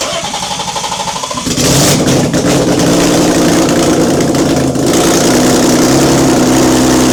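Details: BMW E30 first start in 6 years after an engine swap, fuel pump confirmed working: starter cranks briefly, engine catches and settles into a steady even idle with light throttle blips, running cleanly.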